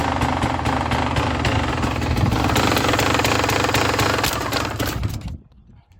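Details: Enduro motorcycle after removing and refitting its electric starter: rapid, fairly even single-cylinder firing about four beats per second; starts fine on the starter but then won't shut off, a wire suspected damaged.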